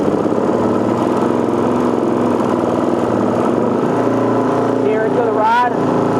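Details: Four-stroke bike with a Gen II carburetor, after the metering rod was adjusted in quarter-turn steps: roll-up test shows the engine idling evenly, then revs rising cleanly and dropping back without stumbling or popping, a perfect transition.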